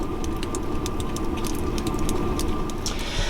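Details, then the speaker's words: Happybuy 5 kW diesel heater recorded outside in cold weather right by the air intakes: a low steady hum and airy intake rush with light regular fuel-pump ticking, even and unchanging. The heater is running normally with some intake noise. "and we're right here by the air intakes and that is why we can hear a little bit of intake noise"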